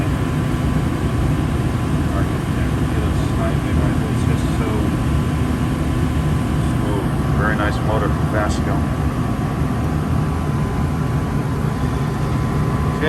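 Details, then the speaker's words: Gas furnace with new Fasco draft induction blower (119256-00 / ICP 1014341 JA) replacing a noisy, seizing old motor; steady even low hum with faint constant whine, no rattle or scrape: normal furnace operation. "relatively very quiet operation now this is great see how the motor is spinning right in there super silent it will be silent basically this is spinning freely does that the whole time"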